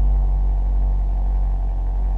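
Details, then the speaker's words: 2006 Ford Focus, 180,000 km, heard from inside the car on cold fast idle at about 1500 rpm: an even, steady low rumble with the usual rattles and vibrations, no misses or backfires. Normal fast idle. "It's got the usual Ford rattles and vibrations. That's because it's at fast idle right now. It's revving around 1500 RPM."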